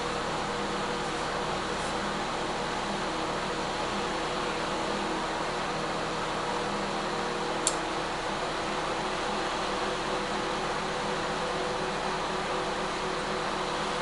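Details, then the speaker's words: Microwave/convection oven, after repair of a fault where it would not shut off, running in combination cook mode (presumed top and bottom heating elements): even fan whirr over a low steady hum, no clicks or buzzing; normal operation. "Now it's on combination cook, so I assume it's top and bottom heating elements."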